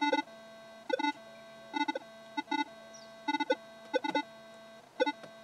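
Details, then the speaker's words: Pulse induction metal detector standing still with a smartphone on nearby: irregular bursts of beeping chatter over a steady tone as the phone hunts for signal; cellphone interference causing false signals and instability. "that was a phone looking for a signal and you could plainly hear it there"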